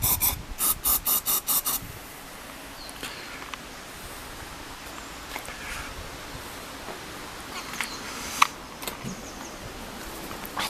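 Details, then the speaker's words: Honda CBR400RR NC23 cranking in about six quick starter bursts, never catching; no spark found, temporary fuel pipe leaking so carb spray used; cranks but won't start due to no spark. "there's no spark so i've got spark plug out and i've been um spinning that over and there's no spark"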